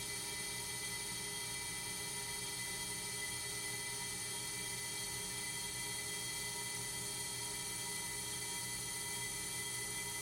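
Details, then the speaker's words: Accu-Turn 8944 brake lathe resurfacing a brake rotor, howling with a steady piercing high-pitched ring near the end of the cut; cutting chatter, possibly from a bad carbide tip. "quick side note on this is you notice the noise that it was making towards the end there started howling that's right"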